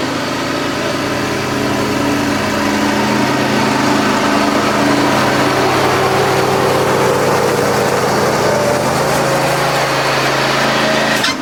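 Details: John Deere X540 mower, came in cranking with no spark and unused about a year; both coils dead, failed module replaced; steady even two-cylinder putter at constant speed, no misses or knocks; normal running after repair.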